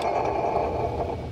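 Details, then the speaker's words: Serpentine belt removed, AC compressor pulley turned by hand, barely spinning: dry, gritty, arrhythmic scrape of bad AC compressor bearings; whole compressor to be replaced. "this is what the ac compressor sounds like there's bad bearings in there also"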